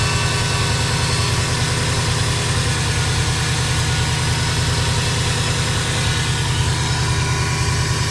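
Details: 2005 Subaru Impreza WRX at idle: steady even idle with a faint high whine over the engine note, no knocking; turbo whistle heard when driving; whine source unknown.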